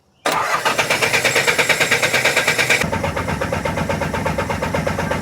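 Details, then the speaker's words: Nissan 300ZX with KA24DE swap on a new Link Fury ECU: short crank, then it catches at once and settles into a steady, slightly lumpy idle, sounding different from the stock ECU; normal start and idle. "yera yeah ceart go leor a ligean ar a fháil damn fired ceart suas fuaimeanna sé beagnach difriúil ná an stoc ECU"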